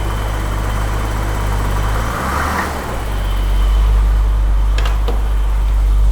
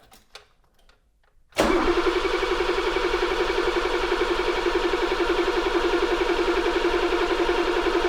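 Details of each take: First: 1982 BMW E24 635 CSI, M30 3.5 L inline six, manual, first run after restoring spark and refitting fuel pump relay: deep steady idle, even low rumble, no knocks or misses; runs smoothly, though it later faltered (owner suspects fuel starvation). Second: 1982 BMW E24 635 CSI, M30 3.5 L inline six, manual, during restoration, after rewiring cut cables and reconnecting the battery: starter spins the engine at roughly 220 a minute for seven seconds, never catching.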